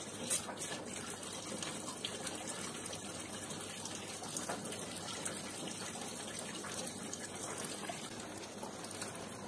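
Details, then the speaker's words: Combi boiler central-heating radiator being bled at its valve while system pressure drops from about 2 toward 1 bar. Steady, unbroken rush of water with no spitting or air bursts, so the air is fully purged. "Eğer su sürekli bu şekilde akıyorsa normal. İçinde hava kalmamış demektir."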